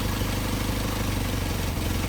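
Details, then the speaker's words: Mercedes 190SL with Solex carburetors at idle during idle mixture screw adjustment: rpm changes as the screw is turned, idle goes lumpy and uneven, engine falters and nearly dies when mixture is set wrong. "so you'll hear you will be able to hear the change in rpm as i adjust it here it's starting to falter"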